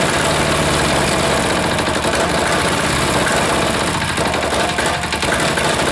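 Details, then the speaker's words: Air-cooled diesel engine just reassembled, running rough at idle with loud, uneven clatter and a stumbling beat; owner suspects air in the fuel line, possibly sucked in at a leaking fitting, and notes a cloud of smoke. "interesting it's having some running problems it's almost like it's got some air in that line again"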